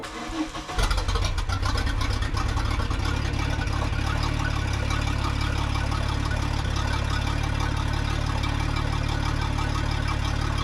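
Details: 1992 Bayliner boat engine: quick crank, catches within a second, then settles into a steady, even low rumble with no misses; normal start and idle, engine runs healthy.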